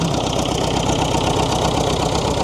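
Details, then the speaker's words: David Brown diesel tractor started after sitting 10 years: even diesel clatter at a steady low idle with no misses or surging; idling cleanly. "Like she was turned off yesterday."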